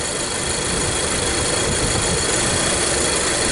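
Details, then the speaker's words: 2014 Nissan X-Trail T32, rough idle, loss of power, vibration, no check engine light: lumpy, stumbling exhaust beat instead of a smooth pulse; ignition misfire indicated by scope on coil one and exhaust pulse sensor. "but we definitely have a a fold on this vehicle right definitely look like it's ignition problem"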